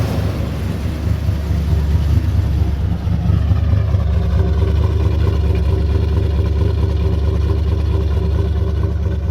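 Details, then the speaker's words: Ford 351W V8 with new bigger camshaft and pushrods, running at idle after distributor rotor position corrected: deep, steady rumble with slight lope, even and smooth, no knocks or misses; healthy, purrs like a kitten. "But anyway, so this thing purrs like a kitten. I like the rumble. I hope you can hear that. It's actually got a decent little rumble to it."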